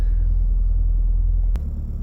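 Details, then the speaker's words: 2008 Honda Civic Hybrid, vibrating when warm and more so in reverse: a heavy low droning buzz; the top engine mount shows substantial in-and-out movement and is worn. "it has more of that buzzing sound and it's it feels like there's something is off you know what i mean so what i'm gonna do is check the top engine mount usually usually that's the culprit on this car"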